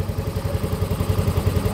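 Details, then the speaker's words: Soul GT 125 motorcycle after engine rebuild (piston damaged again a month after previous rebuild, worn bearings possibly due to late oil changes): idle now even and quick with no clatter or knock, very smooth like factory. "Oke Alhamdulillah motornya hidup dan perhatikan suara mesinnya ini sangat halus sekali seperti bawaan pabriknya"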